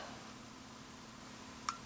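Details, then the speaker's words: Kaiweets HT112B 6000-count multimeter switching between DC and AC voltage modes: a single faint sharp click, the internal relay switching on and off; normal. "or that, but yeah, that's relay clicking on and off."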